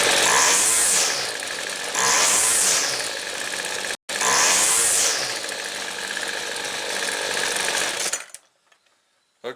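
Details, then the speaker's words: Weed Eater two-stroke trimmer after the low jet is reopened about a quarter turn from a bogging setting: crisp, quick revs on three throttle blips, good throttle response, though idle is slightly high. "got good throttle response but i think it's idling just a little too high"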